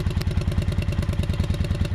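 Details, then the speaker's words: 1995 Kawasaki Vulcan 750 V-twin idling after new solenoid and starter, choke used: even, loping beat about ten pulses a second, no ticks or clatter; healthy idle. "Purrs like a kitten, as they say."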